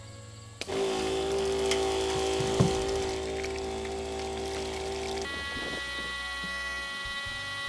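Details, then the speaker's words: Shower water pump fed from a 7-gallon tank in a Toyota 4Runner spare tire well, tank running low: steady buzz that doesn't cut off. The pump is drawing air and won't pressurize, so it keeps running. "All right, so that sound that you may hear in the background, that means it's starting to get air in the line. And once that happens, when you turn this off, it still won't pressurize, and that pump will just keep on going."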